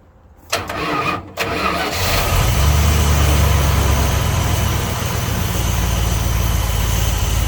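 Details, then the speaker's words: 1976 Dodge D200 after tune-up with new cap, rotor, wires and plugs plus oil change, timing not set (no timing light): cranks briefly, catches, settles into smooth even idle, no lifter tick, knock or miss; normal idle. "Sounds good. Like there's nowhere lifting on. There's no knocking. It's not missing."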